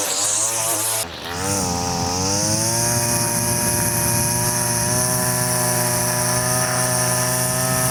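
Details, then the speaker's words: Two-stroke line trimmer with Arnetoli F-One head, cutting grass after the line was shortened one click from slightly too long; steady high whine holding speed, no longer laboring. Normal cutting sound. "That works. It seems competent enough"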